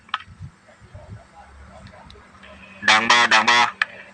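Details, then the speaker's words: Two-way communication radio, test audio with original speaker that is weak and breaks up when talking; harsh crackly distorted sound. Speaker to be swapped with same-size one from another radio (16 ohm vs 8 ohm). "เสียงมันแตกใช้ได้ใช้ได้เสียงแตกนะพูดถึงนะครับ"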